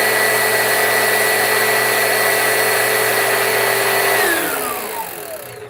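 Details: Vacuum cleaner motor, belt being checked for slipping off, holds an even whine with no slipping or flapping, then winds down smoothly at switch-off; belt staying on, normal running.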